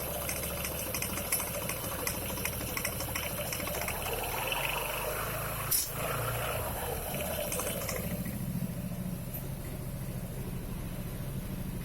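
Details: Kymco Xciting 300Ri scooter: engine rpm rises with a dry rattling chatter as the clutch bites, then settles after engagement; owner asks whether the noise and engagement rpm are OK. Clutch engagement noise, cause unclear.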